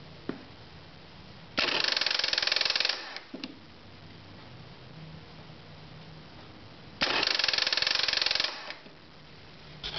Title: Voltage drop test on bad starter motor,problem was bad cables